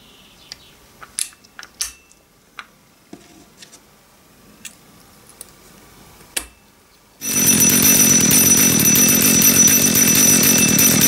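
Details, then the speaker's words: Used Dolmar PS32 chainsaw at idle with chain brake on: bright metallic ringing as the worn washer dances against the clutch drum; clutch/needle bearing wear also suspected. "oder die Ursache ist noch einfacher in dem diese Unterlegscheibe je nach Kettensäge diese Geräusche verursachen kann"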